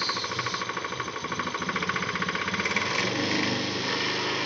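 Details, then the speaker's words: Honda Beat scooter CVT: rough, fast rattle at idle that disappears when revved; suspected worn roller housing, rollers or pulley, repaired by replacing roller housing and rollers. "Untuk keluhan sepeda motor ini bunyi berisik pada bagian CVT."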